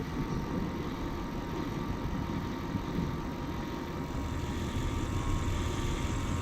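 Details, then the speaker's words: Lexus LS400 (UCF20) V8 at 425,000 km idling with a low, slightly uneven flutter under the rumble from a mild exhaust leak. "And you can hear there's a bit of an exhaust leak there too, eh? Did you hear that exhaust?"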